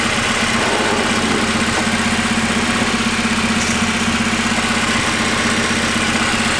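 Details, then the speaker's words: Right-hand-drive Honda Integra with no idle air control valve: steady, even idle with a smooth low pulse and no misses, knocks or hunting; normal idle. "alright seems to be idling super well"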